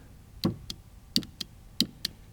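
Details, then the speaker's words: 2006 Audi TT Quattro 1.8 turbo no-start: fuel pump powered directly via power probe never spins up, just three sharp double knocks about two-thirds of a second apart, like someone knocking to get out; pump seized solid, blown fuse suspected. "You guys hear that? It sounds like someone's on the inside knocking to get out. Okay, so now I know that fuel pump is locked up hard, solid."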